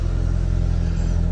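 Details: MK1 Audi TT engine starting after fuel pump and fuel sender refitted to fix wrong fuel gauge readings: deep steady rumble, even firing, no misses or knocks; starts and runs smoothly.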